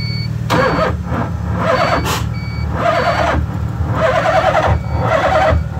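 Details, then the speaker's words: LH6 5.3 V8 swapped into a 1986 Mazda RX-7 on a Holley Terminator X (24x/1x), coolant 56°, 45° ambient, ECU-controlled fuel pump: first start attempt cranks with an odd pulsating, not-quite-backfiring sound and factory Mazda ignition beeps; never catches, cause unknown. "all right so i don't know if you could hear that but it was kind of uh not backfiring exactly but kind of has like a weird pulsation sound if you will"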